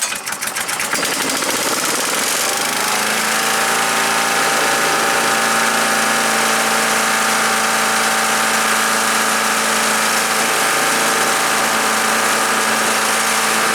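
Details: Earthquake chipper/shredder, small petrol engine, shredding limbs: steady roar with a hard chopping beat about four per second, sagging as thick branches feed in; bigger ones went through poorly, owner suspects dull knives.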